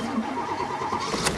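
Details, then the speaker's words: 1989 Pontiac GTA Trans Am, 350 TPI with Edelbrock upgrades, V8 starting: the starter cranks briefly with an uneven churn, then the engine catches. After a week unused it may need about 4 seconds of cranking, a pause, then a second crank. Hard start. "if you haven't started it for a week, sometimes you crank it for about 4 seconds, let off and crank it again, fires right up."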